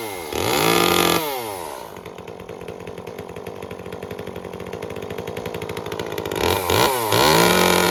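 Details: Echo CS-355 chainsaw after cleaning clogged screens, with the limiter cap removed and the rich carb leaned. Revs up crisply, drops to a steady even idle, then climbs cleanly back to high revs without bogging; now running normally.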